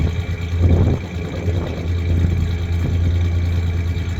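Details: 1993 Ford Ranger 3.0 V6 low, lumpy idle with uneven pulses and occasional stumbles; misfire at idle while searching for the cylinder, owner suspects cylinder 3.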